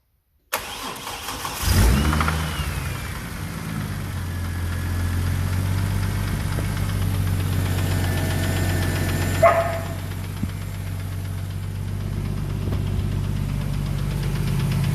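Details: Ford FG Falcon engine (BA top end) at start-up: knocks once or twice on starting, then a light fast tick dominates at idle, loudest at the rear of the sump; suspected bottom-end ticking with knock, not confirmed.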